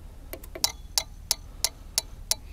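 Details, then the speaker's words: Bobcat common rail injector on a bench tester set to the Denso pattern after a 4000 psi leak test: crisp, evenly spaced clicks about three a second, louder than the Delphi; healthy injector firing, frequency adjustable. "okay and that's going to leak down so you can hear that injector firing now this one's a little bit louder than the delphi and we can also adjust the frequency so we get that faster"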